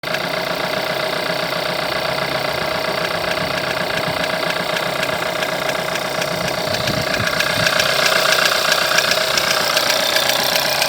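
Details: 1.4 TSI at idle, over 170,000 km, timing chain recently changed, no oil consumption: a light, fairly regular ticking knock rides over the engine note, and the source of the knock is not pinned down.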